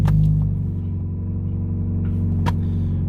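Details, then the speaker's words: 2004 Scion xB during exhaust-leak repair, engine cold: steady low rumbling idle, slightly high and running a bit rich, even pulse with no puffing or ticking from the exhaust; normal cold idle, expected to improve when warm. "so bad right and that's cold - I mean so that they don't want as the engine warms up and it builds compression and the seals see a little bit better that's gonna get better"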